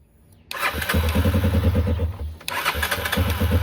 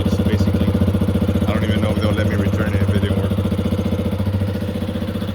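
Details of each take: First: 2021 Yamaha XT250, 252 miles, sat since 2022: two bursts of cranking at three or four beats a second that never catch, still not running after swapping the gasket for an OEM one to gain pressure; fuel starvation. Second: 2021 Yamaha XT250, 252 miles, long-stored; after fuel system work, warm-up idle with even thumping at about three and a half beats a second, no misses or stumbles; runs good, normal idle.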